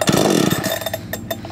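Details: 52cc petrol chainsaw, primed six to eight times with the primer bulb, full choke: a single sharp pull gives a short cough that quickly fades, the normal first fire on choke before pushing the choke in.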